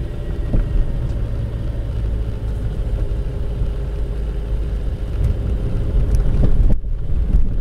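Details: Car rolling with the engine off over bumps on a paved road: deep low rumble with repeated dull rubber-on-rubber thuds from the rear, not a metallic knock, traced to a worn rear suspension joint bushing.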